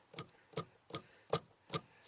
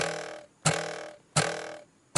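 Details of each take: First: 2015-2018 Ford Mustang S550/Shelby GT350 dash after sound-mat fix: module struck hard gives sharp single thumps about twice a second that stop cleanly, with no extended resonance buzz or rattle. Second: Ford Mustang S550/GT350 dash: sharp taps ringing with a hollow metallic resonance as the audio module, mounted to metal below the instrument cluster, is struck; the loose module mimics a cluster rattle; fix uses sound-deadening mat.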